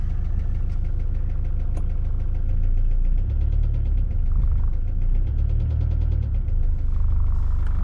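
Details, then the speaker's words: Mitsubishi L200 diesel idling with loud, sharp, evenly spaced knocking-ticking about six a second, heard from outside the engine; oil level fine, cam belt already changed by previous owner without curing it. "you where it sounds like outside that's that's what it sounds like from outsiders you can use um it's quite a loud knocking ticking noise whatever whatever you want to call it"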